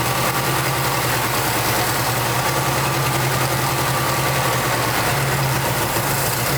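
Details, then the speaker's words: 1989 Jeep Wrangler YJ 4x4, four-cylinder, manual, revived after 12–13 years sitting abandoned: steady, even idle hum with no misses, knocks or hunting, running on its own fuel injection; normal idle. "It's running under its own fuel, its own injection, its own everything."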